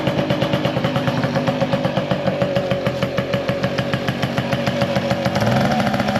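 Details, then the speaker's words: 2001 Tomos LX moped, Slovenian two-stroke, after sitting in a shed a couple of years: starts right away but buzzes with uneven hunting pulses and stumbles; doesn't like to idle. "W doesn't like to idle."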